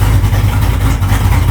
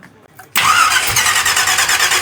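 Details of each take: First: Truck V8 with an old carburettor, restarted not yet fully warm: fires right up into a firm, even low rumble with a steady beat and no stumble; normal idle. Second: Truck engine on an old Edelbrock carburettor just installed, idle mixture a turn and a half out, transfer slots squared, no choke yet: runs at a raised, hunting speed but won't settle to idle; carburettor needs tuning.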